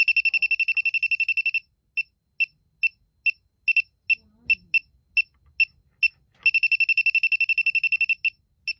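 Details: Elitech WJL-6000 refrigerant leak detector at a known leak site: shrill high beeps in fast bursts, easing to slower spaced chirps, then racing again; owner unsure if leftover soap residue is triggering it. Leak detector alarm.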